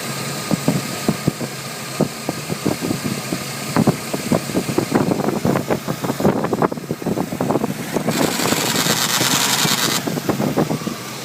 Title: 4.3l vortec distributor making clicking noise